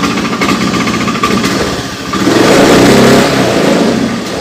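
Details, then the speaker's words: Honda Beat FI scooter on its center stand: engine blubbers and stutters unevenly when throttle opens, sometimes clean; off the stand it stumbles and dies under throttle. "di gas blebek kadang tidak kadang tidak Ya intinya kalau di standar 2 itu masih bisa di gas ya"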